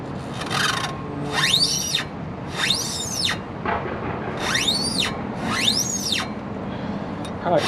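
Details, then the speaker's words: 2001 Ford E-450 chassis RV, front brake rotor and pad replacement: a squeal rising and falling with each wheel turn, about once a second, from the new ungreased hub seal spinning, rubber on metal. "that seal That seal is awful squeaky. Yeah, I don't like the way that sounds. So, you know, I put that seal on, that seal's spinning, and it's just that sound of rubber on metal."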